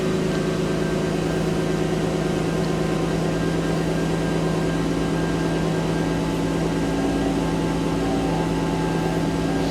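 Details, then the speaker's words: Mercedes 300E, running after replacing the cracked original upper engine wiring harness: smooth, even idle hum with a steady low drone and no misses, knocks or ticks; seems all right, normal idle. "Seems to be all right."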